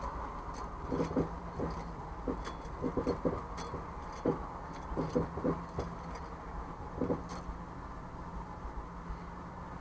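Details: Jeep CJ5 turning in a parking lot and with the steering wheel turned back and forth while stopped: sharp, irregular front-end pops in clusters over the idle. The source is unknown, with U-joints, ball joints or steering suspected.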